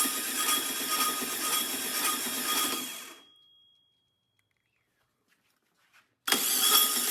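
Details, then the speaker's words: 1967 VW Karmann Ghia abandoned 45 years, first crank attempt: harsh raspy grinding whir while cranking that cuts off and restarts, no firing; starter or flywheel scraping, flywheel possibly warped or just dirty, cause not confirmed. "that starter sounds weird or something look at that flywheel looks like it's warped or something maybe just because it's dirty what is going on here"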